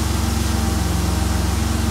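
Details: 2002 Mercury Cougar 2.5 L, electronic returnless fuel system, idling during fuel pump scope tests: steady, even idle with a smooth low hum and no misses, knocks or ticks; normal idle.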